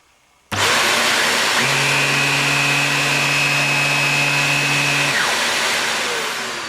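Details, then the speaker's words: Morphy Richards 73415 (Shark Navigator Pro) lift-away upright vacuum, new, power head and suction motor both on: steady loud airflow rush with even low hum, noisier but no shrill scream; runs healthy. "it's noisier, but it's still not a high-pitched horrible scream. So I'm pretty impressed so far with this."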